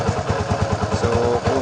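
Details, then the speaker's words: Barako 175 single-cylinder that was noisy, hard to start and lacked power, after all the timing was corrected: it now starts on one kick with quick, even, clean thumping and no knocks; normal idle. "Oh perfect mga bro. Oh napakaganda ng menor."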